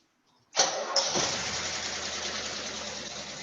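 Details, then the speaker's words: 1973 Rolls-Royce Silver Shadow, carbureted V8 started cold on choke after an oil change; cranks, catches, fast idle with light quick hydraulic lifter tapping, said to be common on startup and to go away. "Now you hear that tapping noise. It's very common for this, for the Rolls-Royces to have a little lifter tap it on startup. So don't panic."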